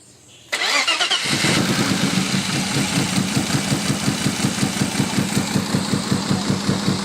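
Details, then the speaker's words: Freshly built forged 3.1-litre custom S52 six-cylinder, first start: cranks about a second, catches, lumpy struggling idle, running a little rich but not misfiring; later traced to faulty ECU. "it sounded like it was building compression very nicely before it fired up and I'm [ __ ] praying to God that didn't feel wash my rings he was running a little bit rich but it didn't sound like it was too bad it sounded more like it was struggling to run"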